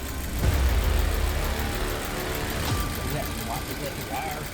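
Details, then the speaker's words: Audi A4 interference engine, first start after timing belt and coolant flange job, idle dropping while warming up, coolant burning off: steady even low idle without knocks, misses or hunting; normal idle, timing belt done right. "Okay, our idle's dropping. So, we did the timing belt right because if we did it wrong, the whole thing would have blown up."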